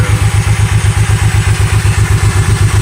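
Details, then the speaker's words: Honda VTX 1800N keeps running after key/kill switch off, heavy even thumping about four beats a second, dieseling-like, as stuck starter solenoid keeps starter engaged; tapping solenoid stops it; fixed with generic lawn-tractor solenoid. "on, and you can hear it working in the engine. Still fit. Continues to run. Continues to run. It's the solenoid."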